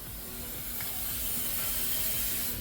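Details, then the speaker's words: Cheap used Ferrari with large coolant puddle, overheating: steady loud hiss over low engine rumble as steam vents from the front of the engine; coolant leak, overheating. "pop the hood the steaming sound does not sound great it's just venting from somewhere in front of the engine"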